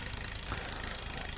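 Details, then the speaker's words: Shimano rear derailleur: rapid fine metallic chain chatter as the high limit screw is undone and the mech pushes the chain off the smallest sprocket; too far jams the chain between frame and sprocket. "However, if I gradually undo the adjuster, you will hear chattering. You're starting to hear noises now. And what's happening here is that the mech is actually trying to move the chain off of the top sprocket."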